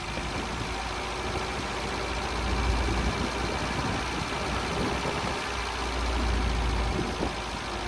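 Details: Long-unused Scamp started with a boost pack on its weak battery; steady low idle of about 210 pulses a minute, no clatter or misfire, holding on its own. Owner suspects it may need a new coil and spark plugs.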